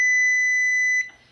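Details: GE built-in double wall oven after replacing the cooling fan and range control board for F96/F97 errors: the timer buzzer gives one clean, steady high beep of about a second, then silence. Normal timer beep after repair.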